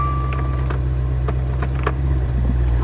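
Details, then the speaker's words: High-mileage Maserati Quattroporte GTS on its first drive after restoration work: deep steady low exhaust rumble with an even throb and some road clicks; exhaust sounds healthy. "to that exhaust. Man, it sounds good."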